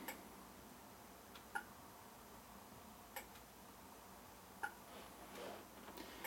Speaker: the clicking noise you hear of course that's the sound of the relay clicking the lights off and on